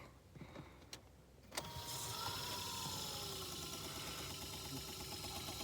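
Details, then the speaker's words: Opel Combo heater blower motor, removed and bench-run: clicks, then rising whine and steady hum as it speeds up and stops, also at fourth speed; sparking seen inside; blower motor stalling, replaced with a new motor. "Якийсь звук. Адалися стопорит. Набирає скорость і вот стає."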